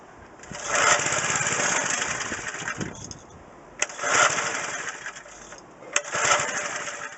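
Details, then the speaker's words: McLane edger small two-stroke, carburetor cleaned, fuel lines unclogged, choke fully down. Three short raspy bursts, each cutting out within seconds: it runs about five seconds then sputters and dies. The idle mixture is too lean, fixed by turning the idle screw half a turn out. "it started for about five seconds and then it just kind of spidered spider sputtered and then shut down"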